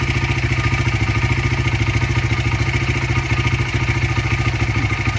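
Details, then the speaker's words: 2015 Honda CRF80 idling during carburetor idle mixture screw adjustment, screw out two turns: idle hunts with a rhythmic lope about three and a half beats a second; mixture too rich, screw turned in half a turn. "Bike's not happy again. So I'm going to turn it into half a turn."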